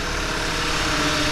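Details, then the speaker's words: 2011 VW Tiguan 2.0 turbo TSI idling after replacing the plastic coolant crossover pipe and auxiliary water pump, not yet at temperature: steady, even idle with a smooth, unchanging note and no knocks, ticks or whine; normal idle, no warning lights. "coolant leaking anywhere while it's running. But everything looks good on it."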